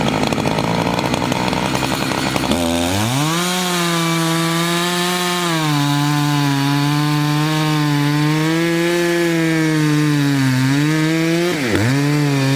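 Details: Chainsaw of roughly 50–60cc (owner unsure, maybe 58), 3/8 pitch chain on a 24-inch bar, on its second tank and barely broken in, cutting old wood: a strong, steady high-revving scream dips slightly as the chain bites and recovers smoothly, normal cutting under load.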